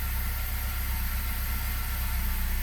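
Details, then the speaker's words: 2012 Ford Focus after engine swap, previously no crank no start from a transmission-related issue with the gear selector not showing park; now with P lit it starts and holds a steady even idle, no knocks or misses. "So let's go ahead, let's fire up. It's running."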